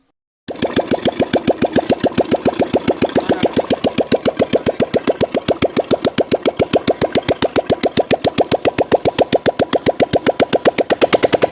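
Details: Royal Enfield Classic 350 after piston rings, two valves, valve guides and head gasket replaced to cure tick noise: even steady thumping about four beats a second, no ticking; single cylinder idles cleanly, normal idle.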